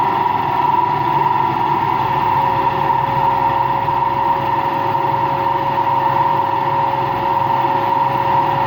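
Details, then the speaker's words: Washing machine on an empty rinse-and-spin cycle gives a constant loud roar with a steady whining tone and no rhythm. The owner suspects worn motor and drum bearings, unconfirmed; no leak was seen. "I actually think it's both bearings. I think it's both the motor bearing and the drum bearing that makes noise. That's what I think."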